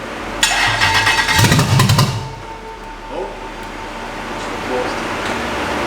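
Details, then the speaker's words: First start of a Toyota LS400 V8 swapped into a BMW E30: loud rough start, then a lumpy, uneven idle with a lazy off-beat; one bank misfiring from fouled spark plugs. "now obviously I'm super buzzing that it's actually running but you might have noticed it sounds like a 1960s Chevy shouldn't really sound like that and that's where Sam sees an issue"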